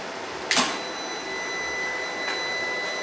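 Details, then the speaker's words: Voltlogic smart storage inverter, grid disconnected while charging: one sharp relay click then quiet steady electronic hum with thin high whine — normal changeover to fully charged battery supplying house loads. "power cut has just happened as you can see there is no seamless disconnection from the loads and it is switched over from the battery which is fully charged to supply the loads to the house the batteries are now supplying the house"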